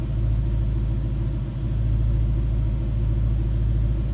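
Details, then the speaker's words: 2012 Ford Mustang GT Premium convertible, no check-engine lights, heard from the rear at the tailpipe. Deep, throaty, even idle rumble with a steady beat and no misses or knocks. "Slip around to the back so you can hear this run. Nice deep throaty exhaust"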